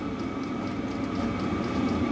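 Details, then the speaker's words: Chinese 12 V 5 kW diesel heater test-running on a workshop bench on a 12.9 V battery, turned down to level three on the remote; steady even whirring hum with thin high whistle, no knocks, running normally and quieter. "remote control I can turn this up and down with the roll control so turning it down to three things start to quiet now"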